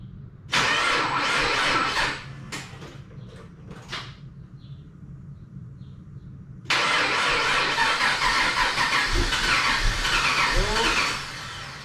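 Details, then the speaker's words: Nissan Patrol with L98 V8 swap, first start after 1.5 years of build work: starter whirs in short bursts, pauses, then engine catches into a loud steady run; smoke rising off engine where fingerprints were; no thermo fan fitted yet; healthy first start. "It wants to. Lots of smoke coming up from where my fingerprints were, but I cannot believe that started."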